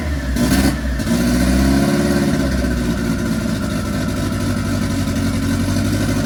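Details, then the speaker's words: MK1 Fiesta Zetec turbo build on first start after ECU fix, lumpy uneven running with wavering revs, probably over-rich, untuned but acceptable for a first start; rough running on first start. "I can live with that for a first start."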